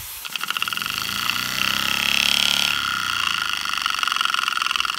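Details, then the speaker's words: Small reversible oscillating model steam engine, run on compressed air, not run in years: quick even air chuffs about three to four per second that speed up then settle; runs smoothly. "pretty interesting runs nice again i haven't had these running in years"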